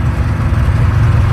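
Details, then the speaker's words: 1964 Chevy Nova small-block V8 while driving: lumpy, uneven loping idle sounding like an air-cooled VW, two cylinders dead, running cooler with no cylinder pressure. "That sounds exactly like a Volkswagen aircooled. Yeah. Runs about as good as two. Yeah. Wow. That runs hideous."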